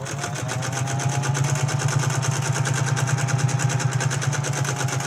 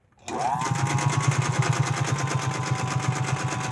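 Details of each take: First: 1931 General Electric Model A sewing machine, freshly oiled, stitching after an upper tension adjustment: even, fast needle ticking over a steady motor hum for five seconds, then stops; runs smooth, stitch nicely balanced, bobbin case not yet cleaned or adjusted. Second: 1931 General Electric Model A sewing machine with a homemade belt, upper tension too loose. The motor spins up, then a loud rapid chugging clatter, like a train, rides on every stitch, from a dry, unoiled bobbin case.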